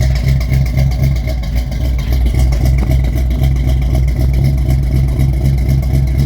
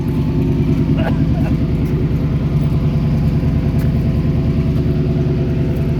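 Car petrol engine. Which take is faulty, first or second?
first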